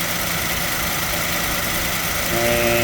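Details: 2007 Toyota Tacoma petrol engine at idle: even idle, then a steady smooth hum joins about two seconds in as the AC compressor clutch engages when the air conditioning is switched on. Normal AC compressor clutch engagement.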